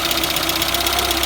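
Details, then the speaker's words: Citroën BX 14 TGE, running after repairing a conjoncteur-disjoncteur leak: rapid, regular hydraulic clacking about ten per second over the engine; likely a flat main sphere causing water hammer in the circuits, unconfirmed. "contre les claquements qu'on entend bah là c'est la sphère principale qui doit être à donc du coup ça fait des coup béliers dans les circuits"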